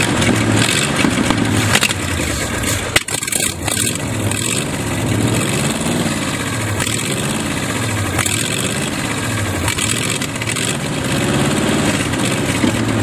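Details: Used Chevy 350 small-block V8 on an engine stand, first run after purchase: idle surges and stumbles, never settling; carburetor full of dirt, idle circuit tubes likely plugged, thorough cleaning needed.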